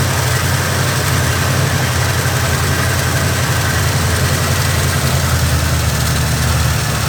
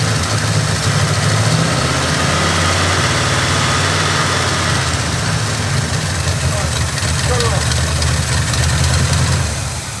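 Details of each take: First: Carbureted Oldsmobile Cutlass, Rocket 350 V8 with Quadrajet: lumpy low idle with faint steady hiss; a vacuum leak remains. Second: Oldsmobile Cutlass with a carbureted Rocket 350 and Quadrajet, after the idle mixture screws were set: a steady, even V8 idle with a smooth low rumble and no misses. A vacuum leak is later traced to the back of the carburetor, thought to be the gasket.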